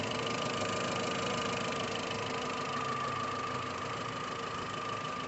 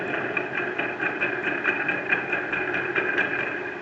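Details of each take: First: VW Gol 1.6 EA111 at idle after replacing the water pump and refitting the timing belt in time: steady even idle with a soft whir, no knocks, rattles or squeals; noise gone. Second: VW Gol 1.6 EA111 engine at quiet idle, noise from rear of engine: light squeaky ticking about twice a second from worn water pump whose shaft has play and wobbles.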